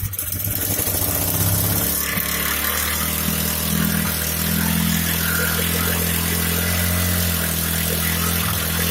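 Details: Hyundai portable generator after repair for a sharp metallic sound from inside: the engine catches and settles into a steady, even drone with no metallic rattle. It is running smoothly.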